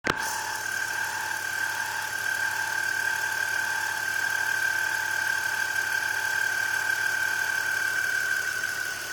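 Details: BMW E46 at idle: steady high squeal holding pitch, caused by a bad pulley; replacing the pulley cured the noise.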